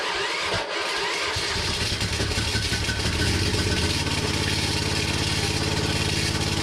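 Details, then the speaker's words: Hinowa tracked minidumper petrol engine running: steady run with rough grinding scrape; owner first suspected worn rubber in pump-engine coupling; found something contacting the cooling fan. "so as you can hear there is some kind of grinding sound that is not supposed to be there but yeah we have to pull everything apart find out what it is"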